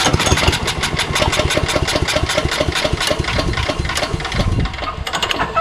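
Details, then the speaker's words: Engine with spray in the carburetor and choke on: it catches in quick regular pops, about four a second, then fades and dies; owner suspects the carburetor or primer. "there's something hinky about the carburetor it does turn over right but very very little bit you know from the amount of fluid that i shove in there i'm surprised it doesn't ignite fully"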